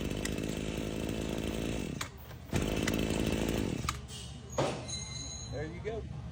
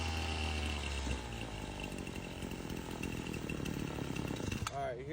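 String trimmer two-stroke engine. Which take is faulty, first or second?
second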